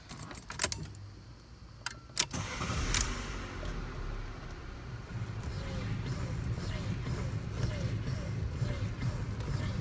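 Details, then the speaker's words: Lancia Musa steering column after greasing the cardan (universal) joint; engine idling while the wheel turns, with a few handling clicks and no knock or creak from the column; steering noise gone, fixed by greasing alone. "allora praticamente abbiamo risolto il problema soltanto ingrassando"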